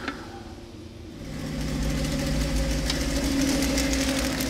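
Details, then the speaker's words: Header gasket leak on a high-performance Mopar 360 small-block V8 at first fire-up: rumbling run with a sharp, regular knock-like tick, first suspected in the rockers (fine), traced to a leaky exhaust header gasket. "hell of an exhaust leak that noise was making me nervous when he first fired it up those gaskets you don't expect it to be a header leak but didn't sound like a header no it didn't at first that's what it was really harmonic right now got a leaky header"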